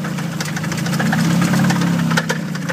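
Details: Nissan KA-T turbo engine at a drift day after the manual boost controller popped off, wastegate building boost around 20-25 psi, sputtering mid-course: steady idle with sharp, regular knock timed with engine rotation; heavy internal knock, cause suspected, not confirmed.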